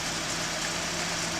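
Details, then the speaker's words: 1981 Datsun 280ZX, just fitted with new fuel injectors, had power loss and rough idle; steady airy hiss over the idling engine, vacuum leak from an open port that needs plugging. "so far I'm hearing this really uncomfortable hissing noise it sounds like it's leaking like it sounds like there's air coming out of the system somewhere"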